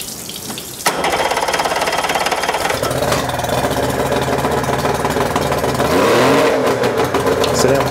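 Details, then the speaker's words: Used outboard, tidy and corrosion-free, after passing compression test (120 on both readings), restarted on flush water: catches at once and settles into a steady, even run with no misses or knocking; healthy. "Now this has passed its compression test, we're just going to get the water back on and fire it up for a bit."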